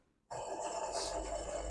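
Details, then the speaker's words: Running engine with a harsh, gritty bearing growl. A mechanic had replaced the timing belt, tensioner and other bearings without success; the culprit was the AC compressor pulley bearing. "simplesmente esse barulho de rolamento né o colega mecânico trocou todos os rolamentos correia dentada o rolamento esticador e vários outros rolamentos e simplesmente o rolamento só era esse o rolamento aqui do compressor"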